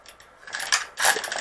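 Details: Road bike rear derailleur, adjustment screw set, cage pushed up: short bursts of rapid metallic chatter as the top jockey pulley scrapes the largest rear cog; pulley rubbing cassette.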